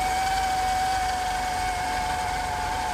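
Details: 1992 Mercedes 300E at cold startup idle: a steady high-pitched whine over a smooth idle, pitch holding constant, that occurs only when cold. The cause was the water pump, which was replaced.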